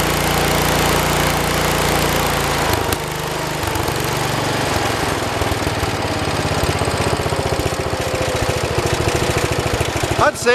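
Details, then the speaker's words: 1973 112 tractor, Kohler K301 single-cylinder, after head gasket replacement and valve adjustment (8 and 17), warmed up after about 15 minutes: revs up steady and strong, then settles to an even, regular thump as throttle eases; normal running at higher throttle. "say it does pretty good."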